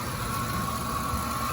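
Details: 2006 Ford F-150, cold day, tensioner and idler previously replaced: constant thin metallic whine/grinding at one pitch over steady idle from the belt system; owner suspected the alternator, but the cause was a dry idler pulley bearing hidden under the air intake.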